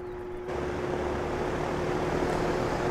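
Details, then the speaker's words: DeWalt 24-inch heavy-duty drum shop fan (6500 CFM) on low setting: steady low motor hum with a soft, even whoosh building as it comes up to speed, no ticking or wobble; running normally. "so there's a low setting there's a little bit of a hum to it but overall it's pretty"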